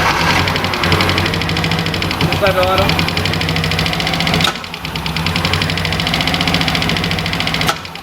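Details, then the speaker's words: Ford KE TX3 Turbo B6T twin cam manual, crank-no-start after an aerostart attempt. Fast steady cranking with no catch or firing. Injectors thought stuck with bad fuel, so injector cleaner is next. Relays and battery still to work out; plugs found putrid. "okay that was right i'd say it's got fair so yeah she's still busting our balls we've got to work out the relays carrying on battery injectors"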